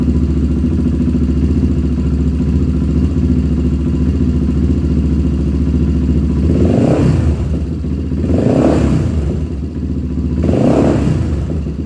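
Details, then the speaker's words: 1997 Honda TRX300EX after cam chain replacement, first start after sitting, still cold: single cylinder thumps steadily with a few throttle blips, slightly grumpy but running cleanly and evenly; clutch working well. "okay guys hey it's actually running really good um it hasn't ran in a while so it's a little grumpy and it's also still cold"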